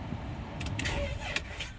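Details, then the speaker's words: 2014 Ram ProMaster started in the morning with sluggish, labored cranking that drags before the engine barely catches; earlier it would only click and not start; the weak, faulty battery was later replaced. "It struggled. Um it usually when we see this type of situation where um the lights flash or the lights dim on the dash and they completely go out when you're trying to crank it."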